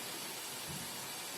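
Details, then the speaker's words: Dell laptop after CMOS battery reset to clear static charge causing no power/no boot: soft steady airy whoosh of cooling fan, no rattle or whine, with LEDs on; board powered and booting normally. "So that means this board is on. So because we see the fan response and the LEDs and the LED on the motherboard."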